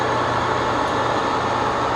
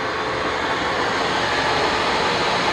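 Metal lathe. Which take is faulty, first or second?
second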